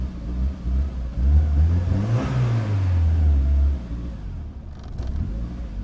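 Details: Built project car on a base map freshly adjusted by a tuner, battery going flat: runs only on throttle, revs swelling and sagging unevenly, then dying back. Won't idle, like a very bad cold start.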